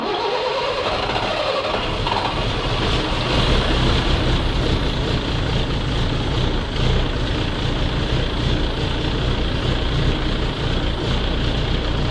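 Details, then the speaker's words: Volvo truck diesel started in the garage after a coolant refill: loud, raspy, harsh unmuffled idle roar from exhaust escaping through a hole in the muffler. "запускаем мотор запустилась глушитель дырявый и находиться в гараже Нереально"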